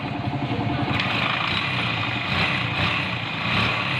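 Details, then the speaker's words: Motorcycle after top overhaul (valves ground, valve seals replaced, new timing chain) that had lost compression: engine fires and holds a steady even beat with no misses or ticking; normal running, repaired. "Ayan, sa wakas mga loads, napaandar na rin natin itong kanyang motor. Ibig sabihin naayos na natin itong kanyang motor mga loads."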